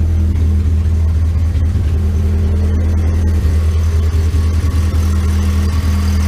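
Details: 2010 VW Gol EA111 engine, cold start: lumpy, uneven chugging idle, very rich mixture; water temperature sensor and low coolant suspected, engine also said to have piston noise and head oil pressure leak.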